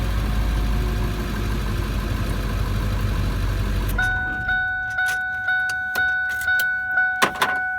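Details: 1999 Ford F-350 Super Duty with no-start fault, clutch safety switch bypassed by jumping its wires: engine starts and gives a smooth, steady idle rumble for several seconds before shutdown, then regular chime ticks; normal idle, fault traced to the clutch switch.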